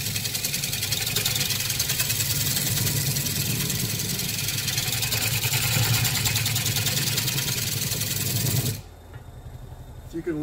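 Rough, rapid chattering scrape over a low motor hum as the tool bounces on an uneven wooden edge.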